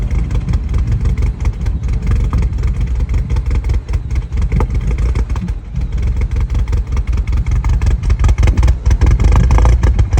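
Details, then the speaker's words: R56 Mini Cooper S turbo N14 at idle after sitting a few days, before repair: low idle stumbling with irregular dips and lumpy pulses; specialist's live data confirmed a failing high pressure fuel pump, later replaced. "idling I've had idle issues for a little while now I'm trying to track down exactly what the problem was and I was able to take it to a local Mini specialist and he was able to plug in and look at live data and tell me definitely it was the high press fuel pump"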